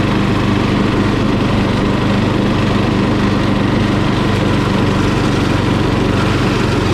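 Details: Murray lawn mower engine, just after carburetor cleaning for dirty fuel (float and needle fine): loud, even, steady drone at full throttle with no stumbles or surges; running smoothly.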